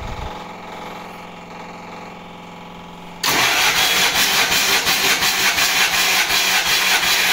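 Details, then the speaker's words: MEP-802A diesel generator, first start after piston ring and gasket/seal replacement (previously one cylinder firing, blue smoke, intake blowby): quiet cranking, catches at once, settles to an even beat on all cylinders with no misfire; healthy. "There you go. That's the sound I was looking for."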